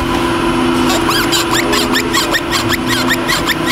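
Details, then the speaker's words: Honda Fit driving at speed: quick, repeated chirping squeaks, two or three a second, over a steady drone, intermittent and rising with speed; owner suspected a wheel bearing, but the cause is the CV axle boot. "barulhinho chato irritante falar para vocês o que é esse barulhinho não parecia não dá toda a hora no carro não de vez em quando incomodava o dono do carro chegou até a pensar que podia vir da do rolamento de roda né"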